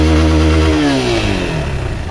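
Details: Honda XRE 190 motorcycle after engine repair with original parts, in gear with the clutch released and revved: clean single-cylinder rev falling away smoothly, the earlier strange engine noise gone; engine and gearbox sound healthy.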